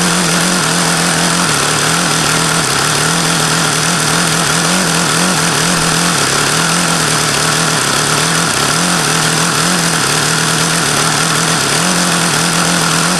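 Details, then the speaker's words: HP VT 21 rotary-valve four-stroke model engine: a fast, steady high-pitched buzz holding a high idle with slight wavering. The owner says the low end is still rich and was leaning the low-speed needle; plug checks agree. Cause not confirmed. "that was as low as I could ever think I've gotten it to idle see I could get it to go lower as long as I kept an eye on there like it's still rich that's why I was going leaner on this low speed because that's what that seems to indicate"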